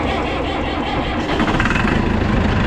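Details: Massey Ferguson 7495 tractor cold start at 32°F, ether-assisted after a failed first attempt: loud, rough diesel clatter settles into a steady idle that holds fine, so the start is normal.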